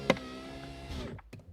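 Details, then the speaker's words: VAZ 2115/2114-family power window after the fix: the glass run was wiped dry and graphite grease applied to the plastic cable roller and the glass. The motor hums evenly and stops with a soft thud, with no squeak. "нет ни скрипа ничего нету уже я ребята отвечаю"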